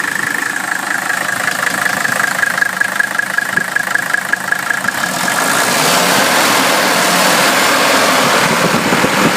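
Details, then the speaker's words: 1981 Mercedes-Benz W126 300SD, restored OM617.951 turbo diesel at idle: even, regular diesel clatter with no rattles, clanks or squeals; healthy engine. "the engine sounds like it should there are no rattling sounds no clanking sounds no squealing it sounds like a very healthy om six one seven Mercedes engine"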